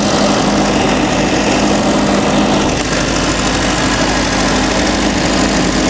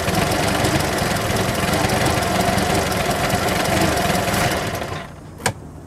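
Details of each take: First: Boat inboard carburetted engine, run with fuel pump on: loud, steady idle, even for ten seconds before cutting off, no misses or surging. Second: Boat carburetted engine on sea trial, after running at 1500 rpm with 60 psi oil pressure, runs fast and rattly, fades and dies after about five seconds ending in a click; owner thinks a clogged carburetor is starving and stalling it.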